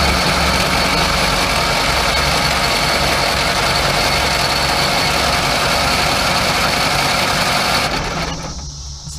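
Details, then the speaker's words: Crosley car stored in a barn 40+ years, under 30K miles, 6-volt system, cranked before the ignition is hooked up: steady, even cranking at about 3.5 beats a second with even compression. Oil pressure climbs slowly while cranking. "this one actually cranks a bit sounds good"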